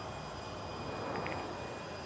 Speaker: Okay, I'm hearing an actual sound similar to a jet engine. Now we think we've found the actual spot.